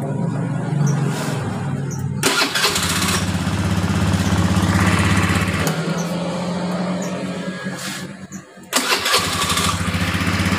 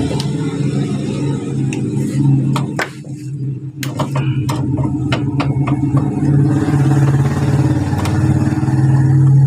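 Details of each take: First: Honda Beat injection scooter, starter cranking after repair: starter spins the engine smoothly and it catches with no rough "ngek" grinding; the starter motor was dirty and dry, cleaned and greased, and is now back to normal. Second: Honda Beat injection scooter starter motor, removed from the bike, with a complaint of a rough "ngek" noise when starting. It gives a rough, grumbling whir with uneven ticking. Inside it is dirty and dry; fixed by greasing the bushing end.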